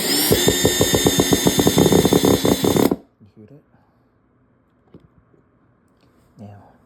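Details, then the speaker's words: Worn T15 driver bit: drill whirs with rapid, regular ratcheting clicks for about three seconds as the bit skips in the screw head; worn bit camming out, time to replace it. "So, the bad bit, when your bit starts skipping like it did with this screw here, you know it's time to replace it."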